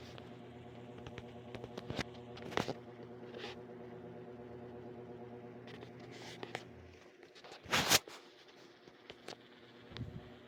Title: 2023 Lasko Wind Storm pedestal fan is making a buzzing noise